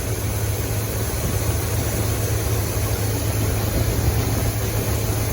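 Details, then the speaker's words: Buick-powered C20 Suburban with Quadrajet carburetor, 68 Wildcat tune, after idle mixture adjustment: steady, even low V8 rumble, no stumble, miss or hunting; roughly 12–20 inHg vacuum at idle, idle speed to be checked. "We're looking at exactly 12 or 20 inches of vacuum at idle."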